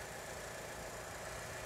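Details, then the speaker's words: Mitsubishi Evo 6 petrol engine idling, heard under the bonnet after its hydraulic lifters were replaced and the AC compressor was fixed: smooth, quiet idle with a faint injector tick. The lifter drumming and compressor clicking are gone. "A million times better. No clicking from the compressor now either. The car feels like a different car. It sounds like a different car. When you're driving and you pull over at traffic lights, it feels like the car stalled. It's that quiet."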